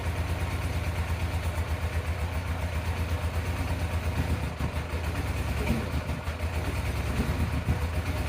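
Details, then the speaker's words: 1987 Yamaha FZR 1000 Genesis four-cylinder after carb cleaning: idle starts steady then wavers and stumbles; owner suspects an air leak, partly clogged carbs, or idle screw needing adjustment, though it runs better. "But it does run a lot better. It's either I'm at the full throttle or I have an air leak somewhere that I haven't really noticed yet."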